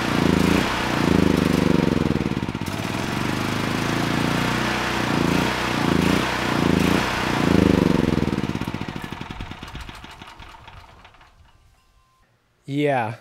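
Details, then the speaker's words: Honeywell HW5500 5500 W generator, 337cc engine with a new Hipa carburetor, runs only on choke. A rolling, uneven lope, then the firing slows and dies into silence; lean stall from a vacuum leak at the intake insulator. "doing the easy thing may have just bit me because it's only running on choke if i go to turn the choke off even halfway the engine wants to stall"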